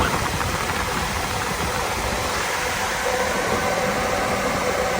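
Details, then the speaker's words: Chevrolet Tahoe with electric fan conversion (no tune), relay-wired, at operating temperature with AC on: even, steady rush of air over low engine hum, no rattle or scrape; both cooling fans running normally on high. "But whenever the engine reaches the operating temperature, both of the fans will kick on high. And now that the operating temperature has been reached, both fans should be on high with the AC."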